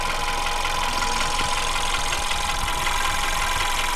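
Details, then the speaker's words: VW Beetle engine at tick over, heard near the alternator, after replacing the fuel pump roller cam follower; light tapping two to three per second persists, so the follower was not the cause and the high-pressure fuel pump is suspected next. "Towards this area we were told that it was going to be the cam follower in there that was making the noise. So unfortunately we've replaced the cam follower and we've still got the noise."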